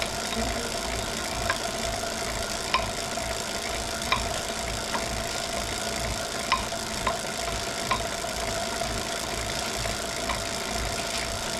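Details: Wahoo Kickr Core trainer while pedalling: sharp light knocks about once a second over the trainer's steady hiss; a recurring knock, source not pinned down.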